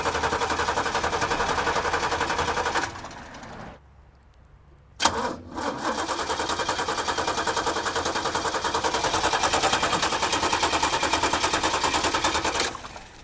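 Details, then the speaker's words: Carbureted 1986 Chevrolet six-door square-body pickup plagued by vapor lock: even starter cranking stops and resumes but never catches, as the used fuel pump won't pick up fuel and the battery is dying; crank, no start from fuel starvation. "Our used new to us fuel pump doesn't want to pick up fuel. Um, and the battery is dying."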